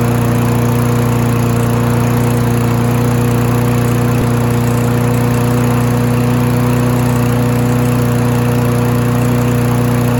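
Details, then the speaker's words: Free Husqvarna mower after both ends of the governor arm spring were adjusted: a steady, even drone at constant pitch with no hunting or surging. Normal governed running speed. "Happy to report I think we finally got the RPM speed taken care of. It took a little bit of back and forth adjusting the spring right here."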